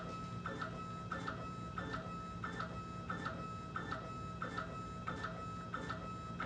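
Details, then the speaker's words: Stepper-motor diaphragm dosing pump at 1 gallon per hour, auto flow adapt just switched on: soft regular double ticks about ninety per minute over faint hum, stroke frequency changes immediately; normal operation. "immediately you hear the speed of the pump change the frequency"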